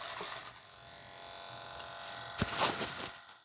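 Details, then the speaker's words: Flap servo at full lowered deflection: a thin, high, steady buzzing hum ("servo crying") as it fights resistance trying to reach the full position. Servo stall hum at end of travel, fixed by reducing the endpoint travel slightly. "hear that? So we refer to it at my flying field as the servo is crying."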